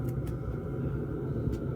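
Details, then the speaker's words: Diesel heater in freezing weather, running a couple of hours: steady even low rumble with constant faint hum, no surging or stumbling; running normally, only slight diesel fumes. "I got a width of the daisley fumes or whatever it is but apart from that it's running smart"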